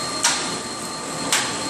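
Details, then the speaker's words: Shigiya G27 grinder, infeed switch 3 set to feed both ways: steady hum with a single sharp click about a second apart at each table reversal as the wheel advances on both approaches; normal. "You hear that click? So as it moves one direction, it clicks. Move back, click, and this wheel advances on both right and left approach."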